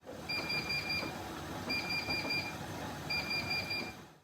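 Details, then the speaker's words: Siemens iQ500 WD14H421GB washer dryer, bought 2016: three bursts of four loud high beeps with a flashing tap icon on almost every cycle, a water supply warning from a faulty flow rate sensor. It was also overfilling and leaving clothes too wet. "the symptoms my machine had were a flashing tap icon on the display along with a sequence of loud beeps which you heard at the beginning of the video"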